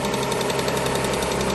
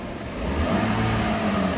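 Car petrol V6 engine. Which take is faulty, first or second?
second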